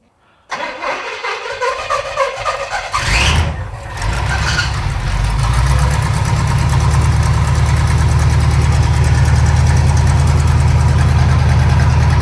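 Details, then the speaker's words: 1937 Pontiac junkyard-rescue engine with new carburetor, mixture just richened: cranks, catches and settles into a steady, even, deep burbling idle with no misses; smoke is automatic transmission fluid burning off the header from an earlier cooler-line leak. "Seems fine. Are you on it? Okay. Woohoo! Sounds good."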